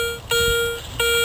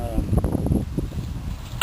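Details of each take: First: Garrett Ace 250 metal detector with small 9x6 coil in a park: two clean steady mid-pitched tones as the coil passes over, reading between penny and dime at 2 to 4 inches; solid repeatable hit, guessed to be a coin. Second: Garrett Ace 250 with small coil in a park: short high beeps come and go on successive passes as target moves between nickel-foil and iron range; likely junk such as a bottle cap.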